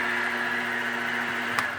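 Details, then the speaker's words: Modified Grizzly G0704 mill with gear-driven head: steady high gear whine over a constant lower hum, even, no knocks or surging, louder than a belt-drive mill; normal gear-drive spindle running, just noisy. "I don't know if how well you can hear that but the uh the grizzly is much louder there's a lot more a lot more noise with the uh gear"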